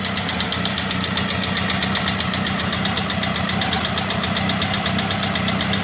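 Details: Honda CBR1000F SC21 at idle: fast, light metallic top-end clatter about four ticks a second; cam chain tensioner suspected, owner states the timing chain itself is fine.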